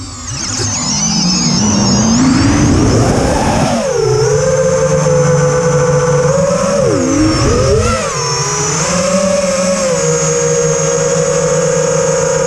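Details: Quadcopter in flight after swapping LittleBee 20A ESCs for TBS Bulletproof 25A (signal cap removed) on DShot 600 and updating Betaflight 2.9 to 3.1.0-RC5. Lowered PIDs P40/I20/D5. High motor whine shifts with throttle, with a rough warbling edge; cause unknown.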